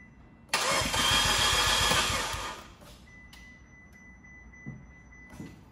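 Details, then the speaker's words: 2015 Fiat 500C Abarth MultiAir, sat a month in Texas July heat: about two seconds of quick even cranking with no firing, gas pedal floored to re-prime; no-start as oil drained from the MultiAir unit, losing prime. "they usually say that if you let the car sit for about a month the oil drains out but I guess it's been so freaking hot that the oil got really thin"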